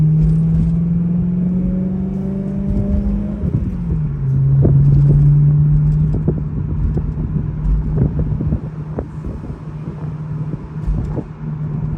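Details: 2012 BMW E93 M3 convertible: irregular metallic rattling/chirping from underneath over expansion joints and bumps, most audible at low speeds, any temperature, lessening when braking over bumps; source unconfirmed.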